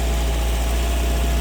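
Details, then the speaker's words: 1992 Toyota MR2 under ignition/stalling diagnosis, still warming up on fast idle: steady low hum, even beat, no misses or knocks; idling happily. "You can still hear the MR2 is idling quite happily, and it's on a fast idle because it's still warming up,"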